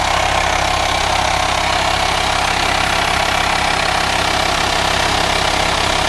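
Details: VW Transporter T5 2.5 diesel camper, 6-speed, idling: steady unbroken hiss over a low even idle from the engine bay, sounding like a vacuum leak; no aux belt driving pulleys, cause unconfirmed at this point.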